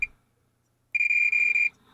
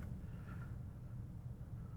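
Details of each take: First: Marantz 1180DC amplifier, multimeter continuity test on a transistor: steady high beep for almost a second; dead short, transistor shorted all the way around, bad. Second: Vintage Marantz 1180DC amplifier after repair, power on: quiet low hum, light flashes and dims, then one crisp click about five seconds in as speaker protection relay pulls in; working again.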